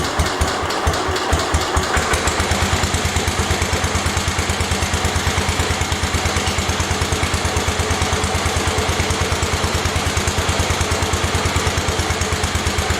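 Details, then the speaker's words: 1972 Homelite T10 garden tractor, first cold start after fresh oil in the engine and rear end: a steady, even single-cylinder thump with no knock or grinding; rear end sounds quieter. "Rear end sounds a lot quieter. I don't hear it as much."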